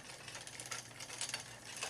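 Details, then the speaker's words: Old Cannondale bike after shortening chain and adjusting front derailleur limits: faint scraping hiss pulsing with pedalling when cross-chained on the smallest chainring; chain catches the chainring shift pins, left as is. "when I go down to the smallest ring which is called cross-chaining you can hear that it rubs"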